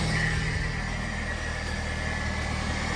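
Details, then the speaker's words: Car engine running after an oil change, oil level checked correct, no leaks found: steady even low rumble with no knocks, ticks or misses; smooth normal idle. "Alright, once you turn the car on, everything sounds good. Make sure there's no leaks."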